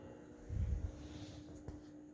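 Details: BenQ W2700 (HT3550) projector: faint, steady electrical buzz with low hum and thin high whine, heard from just right of the front BenQ logo. The owner says it is not the fan and asks whether it is normal.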